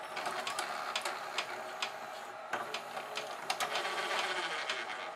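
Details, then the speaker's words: GoVideo DVR4000 DVD-VCR, top off, tape inserted: uneven clicks and whirring that keep stopping and restarting as the mechanism keeps reloading and won't return the tape; drive gear cracked and detached from clutch, almost no take-up torque. "definitely something going on with that mechanism it doesn't want to give me my tape back it wants to love it every time I don't want it to load"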